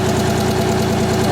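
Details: Miller 400D engine-driven welder running with a CV voltage-sensing wire feeder connected: even, steady engine drone at constant speed with no knocks or hunting; healthy.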